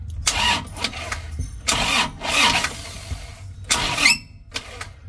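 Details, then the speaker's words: Isuzu Traga engine seized: after an oil change it ran 500 m, died suddenly, then restarted running rough; it is suspected to have run out of oil. Now the starter cranks heavily in short strained bursts, binding, with the crank seized. "sini starternya berat dan juga ada suara cheat seperti yang menjepit teman-teman ya"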